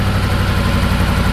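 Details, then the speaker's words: 2019 BMW M5 Competition, accident-damaged rebuild, jump-started via cable to new battery, warm engine: steady even low rumble with no ticking or knocking before cutoff; smooth healthy idle. "je pense que ça sonne bien pas de clicti pas de clicti il fait chaud tout va bien"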